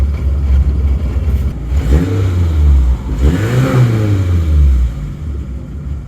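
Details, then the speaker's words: Suzuki Samurai cold start after sitting, just refitted with a stock smog-legal carburetor replacing a non-smog carb and with vacuum hoses reconnected: fires right up with a raised, slightly hunting idle as the choke works; normal cold idle on choke. "she wants to she wants to move on us fire's right up see she is cold so you can hear that choke working"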